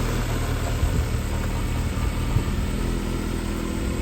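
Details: 1995 Fiat Tipo 1.6 SX after replacing the failed crankshaft position sensor, in neutral; starts and settles to a steady, even low idle with no misses, knocks or ticks, healthy.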